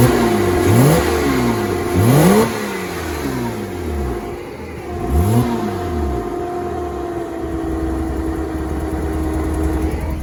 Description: Porsche Boxster 987 2.7 rough idle and stalling after the engine is up to temperature